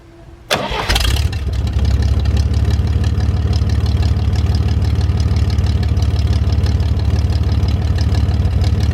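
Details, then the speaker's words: GMC 432 cubic-inch V6 started after sitting about five years, fuel pump primed: cranks briefly, catches and settles into a deep, steady, even idle with no misses or knocks. Slight smoke on startup cleared once warm. "doesn't smoke or anything like that a little bit on Startup but cleared off once everything warmed up"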